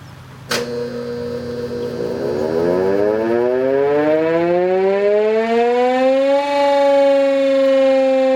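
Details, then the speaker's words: England-made Gryphon 2048 siren, freshly wired with capacitor, cleaned and greased by a motor shop, bearings quiet, run on RCMs: spins up from a low hum into a clean rising wail leveling to a steady tone, no bearing growl; normal wind-up. "But I have it hooked up to my RCMs and my AF, so I'm going to give it a couple runs here and see what it sounds like."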